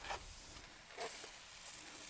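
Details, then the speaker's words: Tractor tire aired up and checked with soapy water: faint steady hiss of air escaping, rising briefly in spurts, from a small puncture; tire puncture air leak. "we're going to find this leag I can hear it oh there it is right there"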